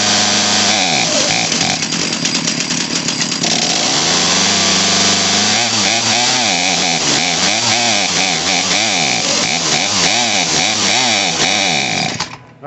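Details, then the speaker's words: Craftsman 18in 40cc chainsaw (model 358.350810) just fitted with new HIPA carburetor and fuel line kit; high two-stroke buzz rises and sags unevenly off choke, stumbles and cuts out; mixture needs slight adjustment. "so you're hearing it bogged out bogging out that means it needs to be a adjusted slightly"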